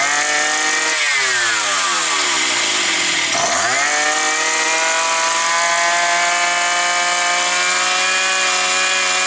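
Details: Likely 52cc petrol brush cutter that started then stalled, probably after sitting over winter; the cause was gunk in it. After cleaning, with choke up and no air filter yet fitted, the small two-stroke blips down and up, then holds a steady high scream, running cleanly.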